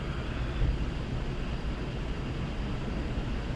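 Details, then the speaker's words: Goodman furnace after pressure switch fault repair, burner now lit and status light solid: the blower fan kicks on with a low, even rushing hum, no rattles, squeals or scraping; runs normally and heat reaches all vents. "Wait for the heater to kick on, or the fan. There's the blower fan."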